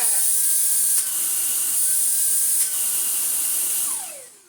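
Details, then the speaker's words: Dyson DC49 digital motor, bought as spares or repairs but recently PAT tested, first power-up before refurb: smooth, steady, very high-pitched whine, winding down cleanly at switch-off, exhaust gets hot at once; motor runs normally. "so weird obviously we've had great experience with these different micro cylinders with brass Motors in them but hey that sounds okay yeah yeah"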